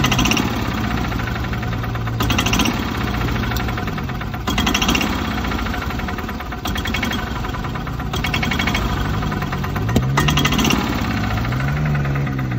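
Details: Club Car gas golf cart engine surging, note rising and falling unevenly every few seconds over a rough knocking idle; carb cleaned, new plug, fuel system replaced, sometimes runs fine; owner wonders about the rev limiter, cause unknown.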